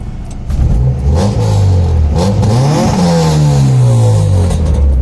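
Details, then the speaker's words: Honda H22A after ARP head stud install and head swap, intake setup, running rich on an old tune with no idle screw fitted: throttle blips rise and fall quickly, clean even exhaust note, no misfire or knock, responsive. "Sounds healthy though. Sounds real good. And it's pretty responsive too."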